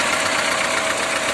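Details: VAZ engine at idle with the alternator belt removed: steady, even idle with no knock or tapping, humming smoothly; the rattling heard before came from worn alternator bearings, not the engine.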